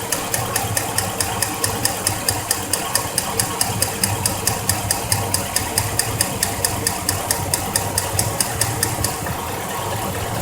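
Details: 2004 Chevrolet Silverado at idle: light metallic ticking about twice a second that sounds like lifter tick or piston slap. It is actually a loose spark plug letting the boot's metal shield rattle on the block. The fix is re-torquing the plug once the engine is cool.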